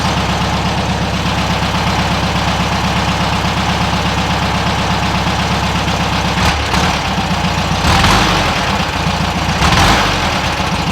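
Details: 1967 VW Westfalia Bus, engine warmed up and idling fairly well, 009 distributor fitted: quick throttle stabs flutter and bog briefly off idle before revs rise, the flat or dead spot; feathering the throttle slowly runs smoother. Throttle hesitation.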